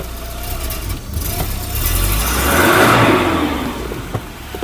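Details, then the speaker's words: Volvo 740 saved from scrap, just fitted with a full new exhaust after blowing at the manifold, plus a new in-tank fuel pump: short rev with a clean, quiet exhaust note and no puffing or ticking leak; exhaust now sealed. "Oh, that sounds so much better."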